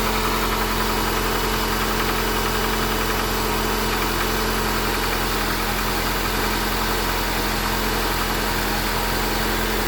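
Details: Honda Accord 8th generation engine knock, worst when cold and reduced when warm but still audible at 2000–3000 rpm; valves adjusted 15,000 km ago, 5W-30 oil; uneven light knocking at idle, cause not pinned down.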